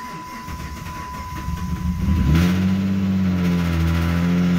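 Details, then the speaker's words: Dodge Charger SXT rebuild, first start: engine catches after cranking and settles into uneven, lumpy idle with wavering low note; runs rough, owner thinks he smells something, cause unknown. "so that didn't sound good that sounded really bad what was that it started that sounds super bad though"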